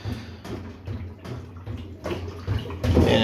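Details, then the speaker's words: Kenmore washer with a sloppy drum, suspected worn tension springs causing violent spin vibration: repeated soft sloshing, about two surges a second, as the loose drum is rocked by hand. Water is left in the drum even though the drain cycle seems to work. "you can actually hear water, so could be I know the drain cycle works pretty well. I don't know why sounds like there's a little bit of water still left in here"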